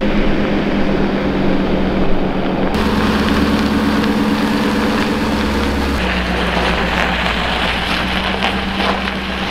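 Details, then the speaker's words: Both radiator cooling fans wired on a relay to run maxed out constantly (ECU had run one full and one at ~25%): loud, steady rushing roar with constant low hum, like a mini tornado in the engine bay. "So car put them both on a relay, so they're just maxed out the whole time. Sounds like a a mini tornado in my engine bay."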